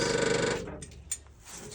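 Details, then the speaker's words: 1966 International Scout four-cylinder, sat for years, aftermarket piston fuel pump, tank out of gas: fast, buzzy clatter for about half a second, then silence; pump running dry on empty tank. "it's got an aftermarket piston pump so when it's out of gas you can hear it making noise like that which is probably good because then there's not three and a half four year old gasoline still stuck in it"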